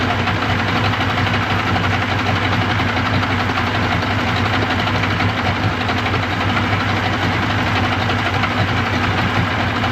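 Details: 1995 Yamaha 75hp two-stroke outboard on a pontoon boat, in a test tub after water pump replacement: steady, even two-stroke burble with constant low drone, no knocks or misses; idling smoothly.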